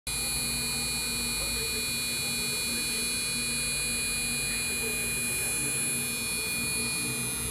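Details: MSI GTX 1070 Gaming X 8G, four days old, makes a constant high-pitched electrical buzz and steady whine over a low hum while running Dragon Age Inquisition on Ultra at 1080p, about 60fps; i5 2500k, Antec 650W supply; buzzing under load.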